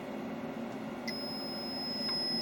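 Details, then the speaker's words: Logic probe on the faulty Moon Patrol arcade CPU board, data bit zero tied low, at the data buffer enable: steady, unbroken tone with no pulsing; the line is stuck low instead of toggling. "and it is low so we need to go backwards now with the logic pro probably instead of the oscilloscope"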